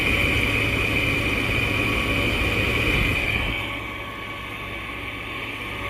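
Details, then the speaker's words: Roadside-found Arctic King window air conditioner running: steady high buzz over the running hum, then drops away; loud buzzing of unknown cause, bearings said to be shot. "I don't know what that noise was, but it was just buzzing for whatever reason."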